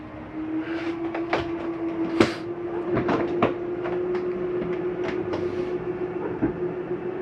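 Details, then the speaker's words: 2022 Jayco Whitehawk 27RB travel trailer slide-out retracting: steady motor hum with scattered clicks and knocks at the end; normal, not grinding, just the slide mechanism stopping itself from going in further. "i want you to hear that noise that is nothing grinding that is the slide mechanism telling itself not to go in any further"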